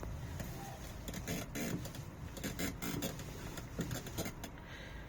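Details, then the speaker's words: Steering wheel on a Volta V1 started making dry, uneven scraping bursts when turned, worse with very slight movements, like a plastic part catching and rubbing somewhere; owner will ask the service. "Bugün direksiyonumuza bir ses gelmeye başladı. Yarın bunu servise soracağım. Bunu da serviste atacağım. Yani bir sürtme oluşmaya başlamış."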